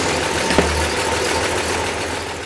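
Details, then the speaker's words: Ole' Blue's freshly rebuilt V8 at first start, held at raised rpm for new-camshaft break-in. An even low rumble with one brief early tick; it runs smoothly. "i'll bring the rpms up see them here on the timing light and i'll think with the timing kind of dial the timing in i just kind of have it somewhere right now to where it'll run and we're going to let it run for 30 minutes"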